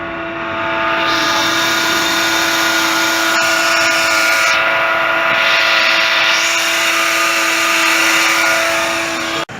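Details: Ford Ikon car: a loud, steady high-pitched squeal rings from the engine bay over a hissy running engine. The car sounded like this for months before it was repaired.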